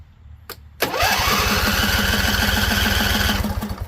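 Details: Husqvarna Z254 with a swapped engine and carburetor new a couple weeks earlier; spark confirmed. Starter cranks steadily about three and a half pulses a second for three seconds without catching; owner suspects flooding. A loose plug end was found afterward.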